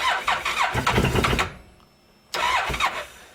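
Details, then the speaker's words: 2014 Massimo MSU 800 UTV, hard starting with IAC motor and low-voltage codes, loud noise that grew worse: rough uneven cranking bursts stall abruptly, silent gap, then another labored crank; number two cylinder is locking up. "yeah so what's happening is the number two cylinder is locking up"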